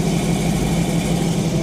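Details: Plymouth Fury after startup following engine work, timing guessed without a timing light, running without full tailpipes or resonators: steady, deep, even idle with a strong low rumble and no misses or knocks, loud from the open exhaust; normal idle, loud exhaust.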